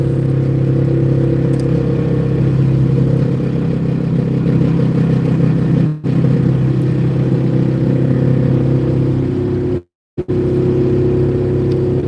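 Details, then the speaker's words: Ford service truck, 388,000 miles, driving: loud rapid clatter with whir following road speed from the rear axle, worn ring and pinion, possibly after a years-long wheel seal leak; engine and transmission fine, rebuilt replacement axle waiting. "that loud uh sewing machine sound is the rear axle engine's fine transmission's fine truck's running great"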